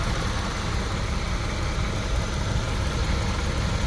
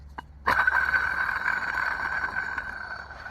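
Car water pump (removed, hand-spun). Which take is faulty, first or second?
second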